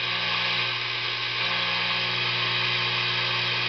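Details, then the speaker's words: Tube guitar amp during an oscillator/tremolo circuit build: steady high hiss with faint low hum, shifting in tone as two pots with unconnected wires into the oscillator tube circuit are turned; stray radio-frequency pickup amplified by the tubes. "The wires that come out of them aren't hooked up to anything, but if you can hear on the coming through the amplifier that as I actually turn the pots, the hissing, it changes."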